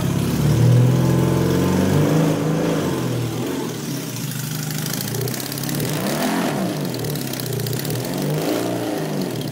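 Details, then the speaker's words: 2005 BMW HP2 boxer twin, after service following the 2022 Bosnia Rally: thumps into a couple of clean blips then steady loping idle, no knocks or rattles; running properly again. "so das Moritz läuft jetzt wieder"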